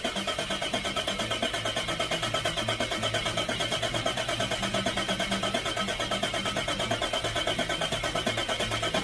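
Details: Turbocharged Nissan GQ Patrol on an eBay kit with wastegate and screamer pipe, first start; it settles into a steady, even run pulsing about three beats a second with no knocks or misses; idle is poor because there is no idle control.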